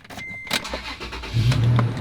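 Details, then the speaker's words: 13-year-old Toyota Tacoma V6 pickup, possibly over 100,000 miles: a brief crank, then it catches at once and settles into a smooth, low rumble; healthy start. "Typical Toyota product. May have over 100,000 miles on it, but it starts right up."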